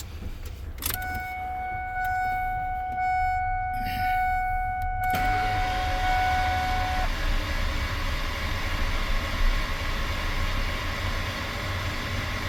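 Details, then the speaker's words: Normal cranking with spark plugs removed to check oil pressure after bearing change and exhaust header torqued; a chime, then the engine spins over with an even whir and no firing, turning freely, and good oil pressure builds. "Yep, I didn't hear it kick on, so now I'm gonna turn it over. It doesn't have any spark plugs in it, and check for oil pressure."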